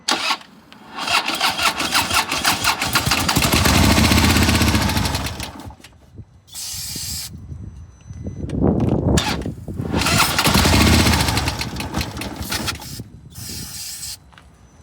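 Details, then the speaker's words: 2015 Harley-Davidson Police Road King, 1690cc 103 High Output, collision damaged, sat two years, on jump box with carb cleaner: slow labouring cranking, catches briefly then stops; sluggish cranking. "And uh thing turns right on. It uh it turns over sluggish."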